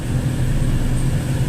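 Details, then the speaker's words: Dodge Neon after replacing the lower motor mount, engine running and dropped into gear: smooth, even low drone with no knocks or rattles; earlier vibration and noise gone. "Oh yeah. I can tell a difference already. I'll drop it down in gear."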